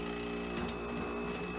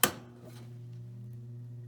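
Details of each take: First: Modern air conditioner running: steady compressor and fan hum with busy buzzing rattle on top; compressor itself quiet but casing rattling a lot. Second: 1967 GM Frigidaire 6000 BTU window AC, started on fan then switched to cool: sharp click, then smooth steady low hum settles without straining or rattling; healthy startup.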